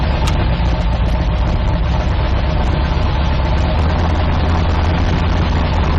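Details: 1972 Nova drag build, in gear after transmission test following fluid drain (earlier 2-3 shift locked rear wheels); loud steady even idle, no knocks or surges; all gears and trans brake working, 1-2 shift clean, normal idle.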